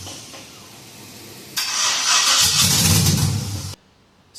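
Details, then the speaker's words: 1966 F100 on a Crown Vic chassis, LS-swapped V8: the starter cranks and the V8 fires with a roar for about two seconds, then cuts dead. Grounds and power wires were checked; the owner suspects the VATS anti-theft was not deleted, so the computer thinks it's stolen. "This thing just seems like the VATS has not been deleted. basically a short way of saying the computer thinks that it's stolen."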